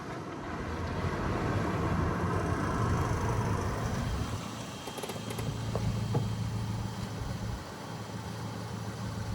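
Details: Salvage Mini Cooper, engine repaired with a new sump, oil and filter, running 3 hours off the truck: steady low hum at an even idle, no knocks, ticks or rattles, some outdoor noise; sounds healthy.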